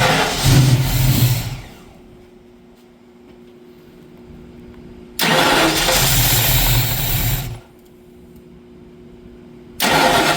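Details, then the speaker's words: 1965 Ford Mustang with Holley Sniper fuel injection, first start after new fuel pump: two sharp revs, then falls back to a low, uneven hunting idle with a miss; running too rich and searching, rockers out of adjustment suspected. "we got a Miss I don't know if that's mess with the cam it's actually running leaning enough to where the cam sounds good it's too rich in be so walk me through what all problems did we have with it running well it's searching"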